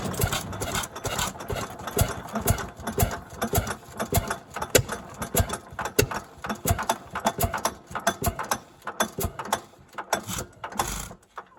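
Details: 1929 Fairbanks-Morse 7-1/2 HP barn-find hit-and-miss engine, first start after oiling and timing set: sharp chuffs a few per second with coasting gaps between; normal, healthy hit-and-miss running.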